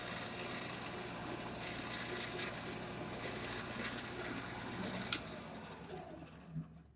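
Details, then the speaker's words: Shopsmith (overhead routing setup) just serviced, oiled and greased, tight handle found and loosened; steady, even whir with smooth low hum spinning freely for about five seconds, then a click as it shuts off; normal running. "found out why the handle was all tight in it, got that loosened up, and it just spins up like crazy now."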